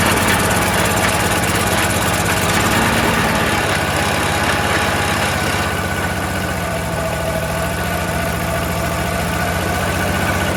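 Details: Troy-Bilt 22-inch mower, 4HP Briggs Quantum, oil checked good, little gas: runs on its own but lumpy and uneven at steady speed, smoking; rough running, owner suspects oil from lying on its side or carburetor needing cleaning.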